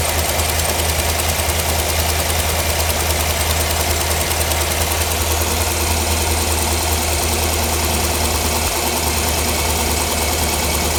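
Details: 2009 Cadillac Escalade 6.2 V8 running with valve cover off to test: steady idle with fast light ticking; one rocker seen getting no oil, owner suspects the oil pickup. Not confirmed.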